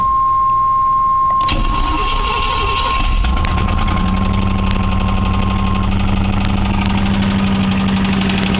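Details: 1989 Chevy Camaro engine knocking at idle: a dull, uneven knock about four times a second, deep inside the engine; owner was told it is rod knock but it is unconfirmed, and a rebuild is planned anyway.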